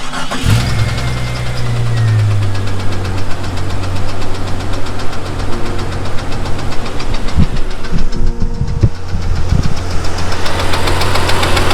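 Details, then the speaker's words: Jeep XJ engine: loud, regular knock pounding in time with the idle and quickening when revved, seemingly from the bottom end; owner expects an engine swap. "That sounds like it's coming from the bottom end."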